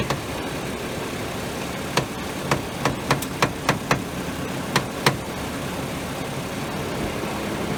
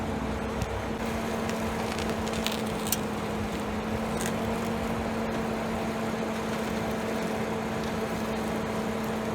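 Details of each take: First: 2011 BMW 535i at idle: sharp cracks and clunks bunch up as the wheel is turned; the stethoscope finds the crackling loudest at the front sway bar; owner suspects the sway bar bushings, not yet confirmed. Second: 2011 BMW 535i, after cleaning the sway bar bushings and lubricating the bearings with Blaster silicone: steady road hum, only faint ticks and no loud crackle while steering. The earlier crackling is nearly gone; loose bolts are possibly also to blame.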